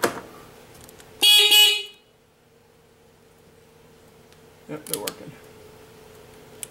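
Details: ATV (1997 Honda Fourtrax 300 or 2006 Kawasaki 250) horn button pressed during a controls walkthrough: one clean, steady honk under a second, loud and even; horn working normally.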